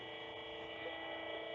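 Smooth, steady whine from the pump with no crackle or gravelly noise; it is running normally at a steady flow.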